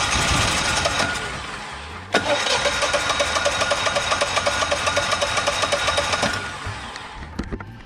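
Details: Generac XG10000E generator left sitting almost two years with bad gas, after cleaning sooty spark plugs: cranks, catches and runs roughly about four seconds, then sputters out; sticking fuel solenoid starving the carb, fixed by carb rebuild and new solenoid.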